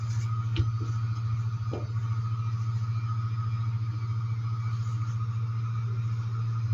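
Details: Homemade tool demagnetizer from a washing-machine drain pump motor stator, armature removed, on 50 Hz mains: steady low constant hum with faint buzz above, no rattle; normal, from the alternating magnetic field.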